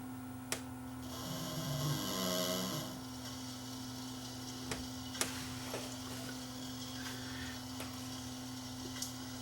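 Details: No-name LCD TV, one of two identical sets with the same sound fault: at switch-on a short low raspy buzzing warble blurts from the speakers over a steady hum, then fades; distorted audio, cause unknown.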